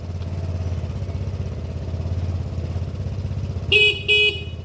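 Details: Derbi 100cc two-stroke first start attempt with a battery fitted and fresh fuel, carb not yet cleaned: irregular popping beat that stumbles and never settles, two horn toots at end; hard starting and rough running, owner expects it needs a carb clean.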